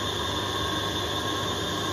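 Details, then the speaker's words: Lathe skimming Fordson Major clutch intermediate plate, half-mil passes from centre toward edge: steady high ringing squeal over lathe hum; plate resonates and vibrates under the tool, chattering and leaving poor cut quality. "all right so I've got that out the lathe now it was it was awful to machine it just resonates and vibrates so the cook quality is not brilliant"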